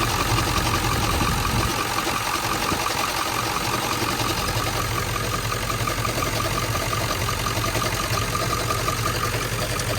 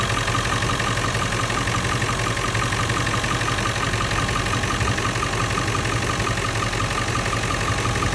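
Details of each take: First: 1997 Ford F-350 7.3L Powerstroke diesel, 164,000 miles, warm idle, stethoscope on front pulleys: light, fast chattering tick with faint steady whine, loudest at alternator; first sounded like rod knock, traced to worn alternator bearing. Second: 1997 Ford F-350 7.3L Powerstroke diesel, 164,000 miles, idling after a new alternator replaced the one with a fried bearing and the belt was refitted; even, steady clatter with no chattering; normal idle, fixed.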